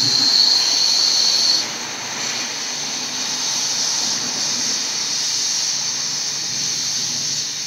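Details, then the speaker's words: Astro Pneumatic 7856 air-powered cooling system pressure tester on shop air, set to about 15 psi: loud steady high hiss dropping and settling after a second; air apparently leaking at a connector, suspected, not confirmed. "if it's not linking you can hear this coming out of where the leak is or you can give the tubes a little shake and see where it squirts or hisses"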